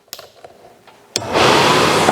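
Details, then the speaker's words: Suburban RV furnace: board LED goes green to red as gas valve opens, gas smelled, a couple of relay clicks then steady blower whoosh with no burner light-off; no ignition. "i could smell gas i never heard it try to ignite maybe maybe click a time or two"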